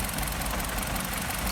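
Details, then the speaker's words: Nissan Tiida 1.8 16-valve at idle: uneven, lumpy beat with a steady missing pulse; injector cut test isolates one dead cylinder, traced to a failed ignition coil damaged by lack of system maintenance; coil replacement needed. "a falha está nessa bobina aqui do aporte liga vamos avisar o cliente que também a necessidade se a troca da bobina devido à falta de manutenção do sistema acabou danificando a buzina"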